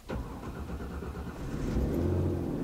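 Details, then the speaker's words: Car cranks quickly and cleanly after the starter replacement, with the battery negative terminal reconnected; the engine catches at once and settles into a steady, smooth idle with no abnormal noise. "Củ đề của chúng ta đã hoạt động êm ái, khi tôi nổ máy thì không có tiếng ồn lạ nào cả."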